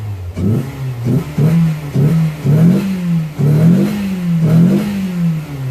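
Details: 2001 Toyota Yaris 1.3 petrol, after repairing tampered ECU plug wiring that caused P1310 start-and-stall, no engine light: clean repeated blips, pitch rising and falling evenly, extra intake roar from a missing air filter housing; normal revving.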